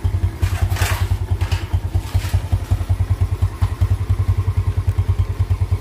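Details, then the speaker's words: Yamaha Jupiter Z after repair of an idle that kept dying and weak power on climbs: even thumping idle at about three beats a second, steady without stumbling or dying; idle back to normal. "nah oke motornya seperti ini dalam keadaan langsamnya biasanya ini dalam keadaan langsam itu langsung mati ya Dan seperti anginnya itu lari ke saringawa ya tapi di sini untuk motornya dalam keadaan langsam ini sudah mulai normal lagi"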